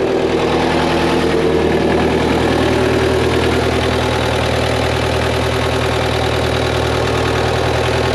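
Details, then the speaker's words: Diesel engine in a JLG manlift, bought with a bad engine, after reinstalling parts and using a borrowed fuel pump: loud, steady idle with even normal clatter, no misses or surging, minor fuel leak on top; normal idle. "man this one sound a heck of a lot better than the other one that's crazy"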